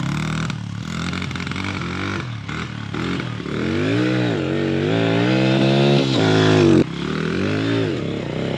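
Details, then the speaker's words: Honda 100 small single with its old carburetor revs unevenly and sags under throttle coming out of corners, then cuts off, bogging and gutless; owner hopes an aftermarket Amazon carburetor fixes it, cause unconfirmed. "when you're like coming around a corner and you just give it the gas you guys hear how bad that runs just like got no get up and go"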